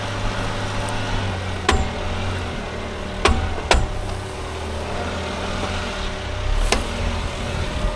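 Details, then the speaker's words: Suzuki Jimny JB23W with front lunchbox locker using factory side gears, in four-wheel drive: loud sharp clunks and bangs over a low engine rumble as the locker disengages, sounding like something breaking, but normal for this locker. "it sounds like you're breaking something and that's just how the locker works"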